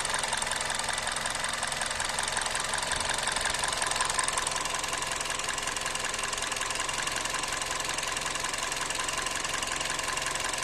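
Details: 2004 Toyota Corolla E120 1.6 petrol 3ZZ-FE at idle: an uneven, loping beat of about three pulses a second with engine vibration and RPM drops; the owner suspects a misfire, but the OBD scan shows no codes, unconfirmed.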